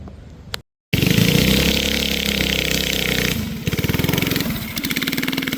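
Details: Barn-find race go-kart with an original flathead Briggs & Stratton that once ran alcohol, now on E85 after sitting 30+ years; it catches and revs, then falls into a slow stumbling pulse and bogs. Carburetor issues suspected.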